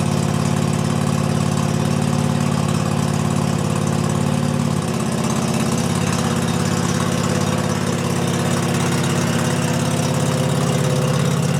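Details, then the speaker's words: Garden or lawn tractor running on the Mustang's battery, started with half throttle and choke: a steady low chug with one small dip midway, then even again. Normal idle. "She should start right up now. Half throttle choke."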